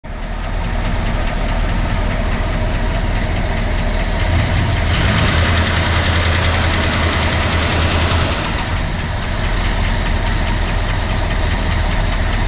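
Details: 1965 Ford Galaxie 352 FE V8 at idle shortly after starting: a light, fast tick of about four per second over a steady idle; source of the tick still unknown.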